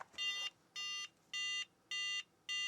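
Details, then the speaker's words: Book8088 laptop after being banged, screen refreshing without beep before: five short high beeps about two per second; boots only intermittently, a loose internal connection suspected. "now we're getting that interesting so this does seem like just a loose connection of some type inside of this thing"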